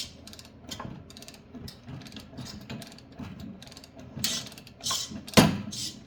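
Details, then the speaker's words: Yard Machine snowblower auger turned slowly by hand: irregular dry clicks and short grinding rasps as something catches inside the auger gearbox. "Oh, let's go back. What is that noise? Oh, not. Okay, let's go back the other way. Something going on in there."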